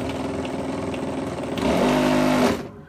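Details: Circa 2007–08 Zapino electric scooter with brushless hub motor, converted to a 60V Enerdel lithium-ion pack: rough buzzing hum under throttle, harsh tones climbing then cutting out. Cogging, hall sensors test fine, owner suspects the controller.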